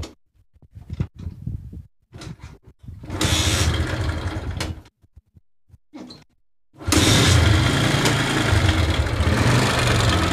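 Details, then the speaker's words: Honda CS1 motorcycle engine: a few cranking tries, then it idles with a loose, uneven "ngoklok" clacking from the top end; the camshaft bearing has collapsed and the cam lobes are worn almost flat. "Sementara penyakit lahare ambrol, lahar noken as. Jadi suaranya ngoklok-ngoklok."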